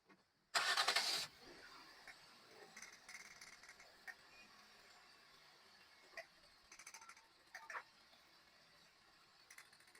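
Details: Petrol car after replacing failed ignition coil (cylinder 1 or 4) that caused a misfire: engine cranks briefly, catches, then settles into a quiet, steady idle with no misfire.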